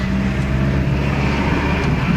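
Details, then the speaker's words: 1996 Toyota Camry after passenger-side CV axle replacement (broken CV boot caused grinding when turning), road test with window open: steady road and engine hum, no grinding or clicking heard anymore. "all right i don't hear any grinding sound anymore"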